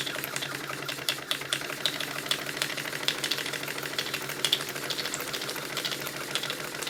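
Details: Clicking from the vacuum pump and water pump on a Stuart triple expansion model steam engine running on live steam, cylinders still hot from previous run; quick, uneven light clicks about two a second over soft mechanical clatter; normal pump clicking.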